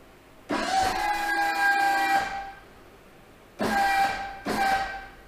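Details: Boss V-plow, 8'2" with wings, hydraulic pump motor during a lift relief-pressure test with a gauge: three bursts of a steady mid-pitched whine that hold flat at relief, then drop off. Only 2000–2300 psi against the manual's 2500 minimum, suggesting worn motor brushes.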